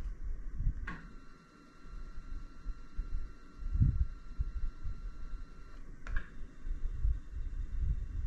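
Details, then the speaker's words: iOptron GEM28 telescope mount, balanced, slewing at slow speed: a faint, steady high whir with no clunks, so the drive is quiet. At speed 9 one axis clunks, possibly causing backlash and PHD2 RA calibration failure. "the noise is minimal"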